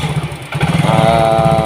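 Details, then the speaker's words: Yamaha Mio GT fuel-injected scooter, hard starting, no stable idle, before injector replacement: uneven, lumpy running with irregular pulse and a dip; dirty clogged injector, mixture trim adding 7.7–7.8%, injection 2.5–3 ms, intake pressure 45. "Nah, ini itu kesimpulannya adalah injektor yang mulai kotor dari keseimbangan campuran ini."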